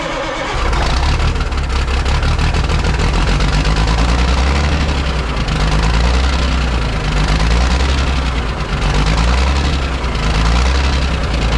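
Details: Ford cabover 14 L Big Cam Cummins diesel revived after 10+ years sitting, possibly still working air out of fuel system; steady even diesel clatter at fast idle, no misses or knocks.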